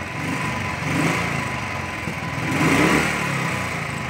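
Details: Royal Enfield Thunderbird 350 after carburettor butterfly replacement fixed its starting and misfire problem: even single-cylinder beat that picks up cleanly on two throttle blips and settles back smoothly; engine runs healthy.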